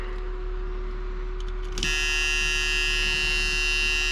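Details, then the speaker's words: 1976 supercharged Chevrolet Corvette C3 Stingray, unused for years, first start attempt after priming with fuel: steady mid-pitched electrical buzz with higher whine joining partway, starter not cranking at all; cause unknown, relay being checked. "lots of buzzing [Music] oh [Music] no well now the starter's not doing anything what's happening there"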